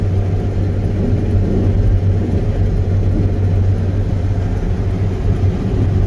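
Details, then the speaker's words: Combine straight-cutting tough, lodged, heavy canola at about 2.5 mph in the evening: constant deep, non-violent rumble from crop stuffing the end of the header. The auger had already plugged once. "he sure is rumbling this it's not a violent Rumble but you can definitely hear there's a lot of stuff going on down there"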